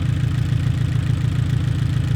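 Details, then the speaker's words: Abarth 500/595/695 idling with a steady lumpy pulse: the spark plug was moved from cylinder 3 to 4, and unplugging cylinder 4 changes nothing, confirming that plug is faulty; all four coil packs are good. "Yep. That is unplugged and there's no change, which means the spark plug that was in cylinder three and is now in cylinder four is at fault."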